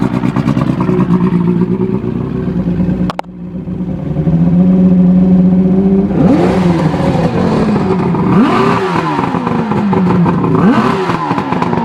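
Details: Evinrude Starflight 100hp V4 two-stroke outboard on mixed gas, out of water: crisp idle, then repeated throttle blips taken cleanly, dropping back to steady idle each time; runs healthy.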